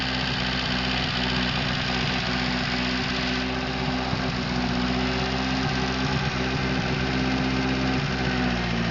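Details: Atomic 4 four-cylinder petrol inboard in a small homemade wooden boat, newly installed with electric fuel pump, first start, alternator off; idles steadily with even low hum, no knocks or misses.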